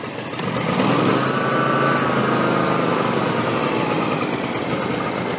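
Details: John Deere X300 rider, Kawasaki FH engine, 17 hours, after cleaning a stuck fuel shut-off solenoid that caused no start: catches and settles into a steady, even idle, no stumbling or surging; fixed.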